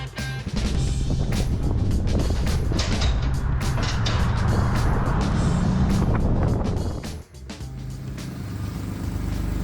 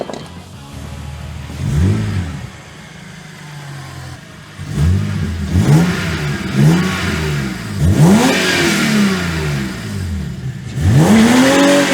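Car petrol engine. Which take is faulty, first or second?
first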